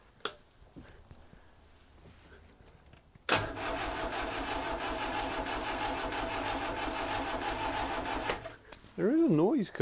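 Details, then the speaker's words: Lotus Elan twin cam on choke after setting valve clearances and a new cork gasket; fast light ticking over cranking and starting for about five seconds, gone after unplugging crank sensor; owner suspects spark plugs clicking. "I think it's just me being paranoid it's just a spark plugs clicking"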